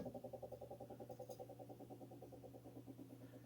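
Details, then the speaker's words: Lennox furnace (installed 2007) inducer/exhaust vent motor: steady hum with rhythmic whirring pulse about three times a second, fading as it slows; subtle noise when spun by hand, very loud at full speed; worn motor being replaced. "I have noticed there's a bit of a noise coming to it when it runs when I spin the motor I can hear a subtle noise coming from it and so when that thing spins at full speed it becomes very very loud"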